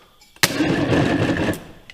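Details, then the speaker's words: International Harvester 1086 tractor starter bench-tested on negative ground: one short strained groan, only about half a turn, then stops dead; starter weak or failing, drive being swapped. "all I really care about on this one right here mmm is what the starter sounds like well it uh gave about a half a turn"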